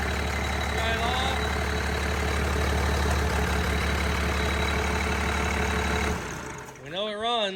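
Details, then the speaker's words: Cummins diesel in a burnout truck build, first run after assembly: steady idle with fast, even light metallic chatter about four a second; owner thinks the gears are chiming. "that's plus i think sounds like the freaking gears are chiming"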